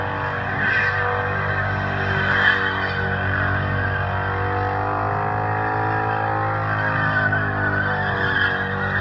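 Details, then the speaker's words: 1UZ V8 Toyota Soarer drift car at a burnout night, new clutch barely broken in: engine note flares in second and third gear without drive pulling harder; clutch fried and slipping, likely from insufficient bedding in. "So yeah, as you can hear by the sounds of that, fried that clutch pretty good."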